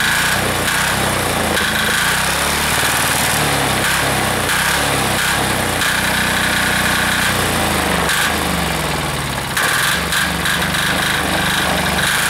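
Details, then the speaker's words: Air-cooled diesel engine just reassembled, warming up during a half-hour run with the gauge reading 228, quick even clatter at steady speed with no misses or hunting; owner says it is running pretty smooth, normal running. "okay well it seems to be running pretty smooth there"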